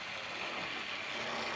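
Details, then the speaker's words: Repaired Hornby model Hall-class locomotive running after long storage: steady, even high-pitched motor whir with no stutter or drop-outs, now passing through points without stopping; motor runs healthy and smooth. "there's nothing inherently wrong with the locomotive we've just probably been in a box for a long time perhaps as you see it's running lovely"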